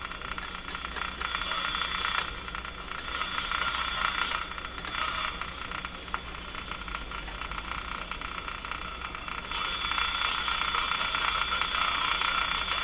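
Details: Electrohome Cosmic tube radio after final three capacitors replaced, running on dim-bulb tester, bias voltage being measured; steady hiss with bright crackling band swelling and fading, no clean tone; oscillating, cause uncertain.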